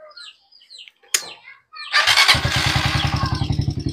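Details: TMX Alpha 125 single-cylinder motorcycle, recording its sound before fitting a low-budget replacement carburetor: birds, then a kick start and an even putt around three and a half beats a second. Normal running.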